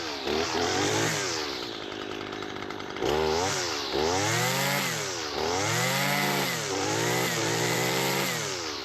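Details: Husqvarna 223L two-stroke trimmer that previously wouldn't run, after a carburetor kit rebuild and fresh gas. Revs cleanly up and down and picks up throttle smoothly without stumbling. Running normally.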